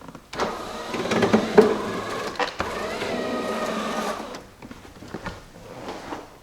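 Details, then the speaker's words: 2001 Jeep Cherokee XJ passenger-side power window motor whirring with irregular clicking while rolling up or down; regulator judged bad and replaced. "a lot of clicking when you try to roll it up or put it down that's exactly what's going on right here I overcome by rolling up starts clicking so that tells me that the regulator is bad"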